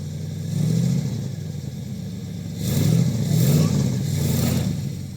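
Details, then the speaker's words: 1969 Thunderbird 460 big-block, not driven, now firing on all eight after last plug reconnected; engine climbs in two long hard rev surges while car barely moves; suspected low transmission fluid or needs warming, unconfirmed. "sounds like fluid if it's taking a lot of RPM to move it"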